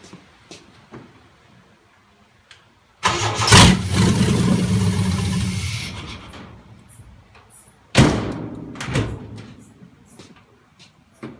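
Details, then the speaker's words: 1951 Chevy truck under build, running on a makeshift fuel tank and hoses: quiet, then catches about three seconds in, runs a few seconds and fades, fires again briefly; fuel pump not heard, fuel-delivery problem suspected. "well got fire we know everything is going good um there she is she fired up sounds great"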